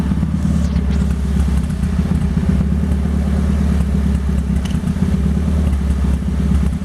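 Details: 1998 Toyota Paseo turbo build (Precision 5831e turbo, Haltech ECU), launch control demo: engine held at fixed high rev with rapid popping and crackling as limiter cuts in; working as intended.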